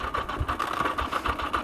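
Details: 1982 Yamaha XJ750 Maxim barn find, with a new battery, cleaned tank and replaced rear wheel, on its first ride using a little choke: uneven, stumbling idle with irregular pulses and surging, close to stalling; then broke down, cause unknown.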